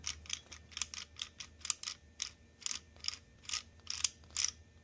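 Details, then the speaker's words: Massey Ferguson 35 Continental Z134 gas engine, rebuilt oil pump turned by hand after machine-shop gear pressing: dry, gritty clicks in uneven bursts about two a second. Gear is suspected to rub on the back of the cover; cause not confirmed. "It's like rubbing on the back of the cover. That is going to have to wear itself into place."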